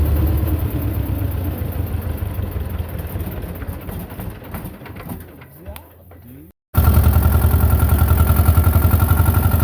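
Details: Belarus 250 tractor, 2-cylinder air-cooled diesel, sat for years, running again; brief cut then strong steady even beat under throttle, no stumbling; normal running after repair.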